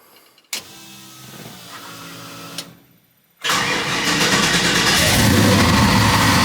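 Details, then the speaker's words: Chevy C10 V8 after the vacuum leak fix, brake booster reconnected and a sensor plugged back in: quiet clicks and a whirr, then it catches and settles into a steady, even idle with no stumble; normal idle after repair. "It looked like she's idling steady. It would have started acting up by now. I'm hoping that this was it."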